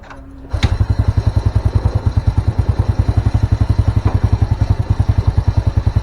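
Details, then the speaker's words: Old Honda Supra motorcycle, hard morning starting, black spark plug, black exhaust smoke at mid-high rpm from rich mixture; fires up into slow chugging idle, rpm low and dies when raised; carburetor needle possibly too thin. "dulu untuk RPM dia cenderung rendah ya saat kita tinggikan dia enggak bisa ya susah cenderung malah mati"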